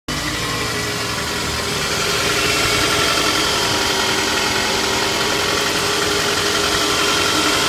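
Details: Toyota 2AZ-FE engine, 120,000 km, cold idle: quick light ticking about four per second, a knock of unknown cause that is no longer heard once the engine warms up.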